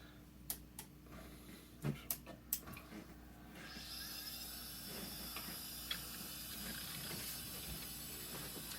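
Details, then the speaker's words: An old IDE hard drive, tested without its jumper, gives a few sharp ticks, then a rising whir and thin high whine as the platters spin up. It is detected as an unknown device or not found, and the ticking suggests a failing drive. "hearing noises I didn't hear before. Hello? It is vibrating so that suggests that it's spinning.."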